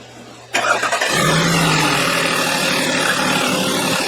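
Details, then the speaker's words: 2012 Audi 3.2 V6 after a thermostat replacement: it first missed badly because the throttle body connector was left unplugged, and once reconnected it catches and settles into an even, steady run with no stumbles; running much better. "That looks better. Much better."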